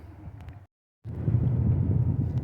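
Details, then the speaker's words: Driving after a repair: only a low, even road rumble with no growl building with speed; the wheel bearing rumble heard before is gone. "Ves ahorita estoy nada más lo que es normal un poquito de ruido de afuera pero ya no se escucha el rumbar del balero"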